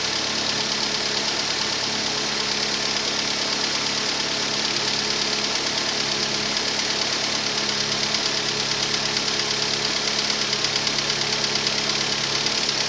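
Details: Rover 25 1.4, cold start: light quick even hydraulic tappet ticking over a steady normal cold idle, normal at this temperature; the car also has a slight misfire, later traced to a faulty lambda (O2) sensor.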